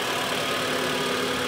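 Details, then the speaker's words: Mitsubishi Outlander 4B11, 2014, 196,000 km, after cylinder scoring and cold-start piston knock repaired by resleeving to standard size: smooth, even idle with soft hiss, no tapping or knocking; running just right. "красота работает прямо как как надо"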